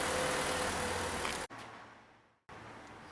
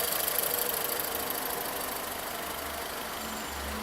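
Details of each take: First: 2014 VW Polo, warming up during diagnosis: smooth, even idle with a steady low hum and no knock or tick; engine sounds healthy, normal idle. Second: 2014 VW Polo at steady idle with a light, regular tapping knock about three or four a second; scan shows misfire faults on cylinders 1 and 4 with warning light on, coil suspected; knock source not yet found.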